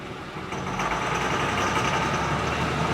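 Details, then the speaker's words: 2005 Honda Pilot with a loud, uneven clattering idle like a diesel, heard slowing down and idling in reverse, while driving seems okay; cause unclear. "slow down and it's idle here that sounds like a diesel engine"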